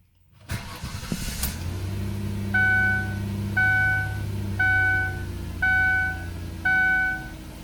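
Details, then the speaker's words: 2004–2007 Ford Taurus/Mercury Sable after in-tank fuel pump replacement, battery reconnected: brief crank, quick catch and steady idle with a chime beeping about once a second; runs better than before, no stall or hesitation on startup. "runs she's run better than before it just start install or hesitate right on startup"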